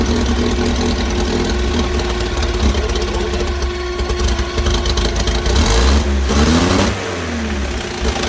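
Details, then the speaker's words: 1964 Bedford CA panel van, unrun for about 10 years, exhaust almost completely rotted away: loud, raw engine running steadily and picking up cleanly on a couple of revs; it runs fine. "and uh she runs it runs yeah with an exhaust on it it would probably run very well indeed"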